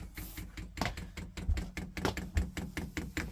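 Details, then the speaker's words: Chinese diesel air heater being fitted on a narrowboat, dosing pump priming with diesel, air visible in the pipes: quiet, sharp ticking pulses over a faint room background. This is normal priming. "priming again still priming up the pipes you can see up the pipes there full of air"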